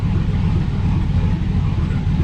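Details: GMC Sierra 5.3 LS V8 (stated as 2005 or 2006) idling on first startup after a broken lifter was fixed with a BTR Truck Norris cam and LS7 lifters, no muffler: loud, steady, even open-exhaust rumble, no lifter tick or miss; running properly.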